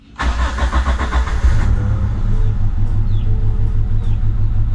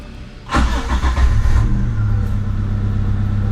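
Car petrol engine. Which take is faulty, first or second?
first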